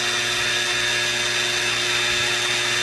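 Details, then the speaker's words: 3018 CNC machine with a newly installed, faster-rated replacement spindle motor during a probing run: a loud, steady high-pitched scream with a harsh ringing tone. The new spindle motor has a nasty resonance. "Man, that is noisy though. Like it has a nasty resonance."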